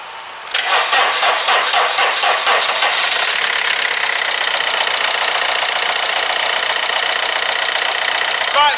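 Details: VW Passat diesel after alternator replacement, started on jump leads: cranks and catches within a second, then settles into steady, even idle clatter with no misses or knocks; battery light went off, charging at 14 volts.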